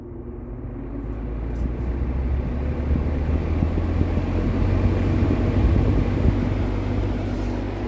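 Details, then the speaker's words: Late-1950s Sears Homart 20" box fan, model 480-9360-6, universal motor, Venturi shroud, starting up on high after bearings were cleaned and oiled. Low motor hum and rising whoosh as blades spin up; smooth, healthy. "I'm going to show you the really cool startup sound that this fan has"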